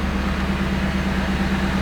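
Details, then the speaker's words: 1988 Camaro IROC 350 TPI V8, cold start idle: deep lumpy uneven pulse, engine misfiring with check engine light on; no codes stored; intermittent miss fixed by replacing distributor ignition control module (ICM), computer replaced for code storage. "the engine's cold everything seems to be good except for the light being on but it is misfiring as"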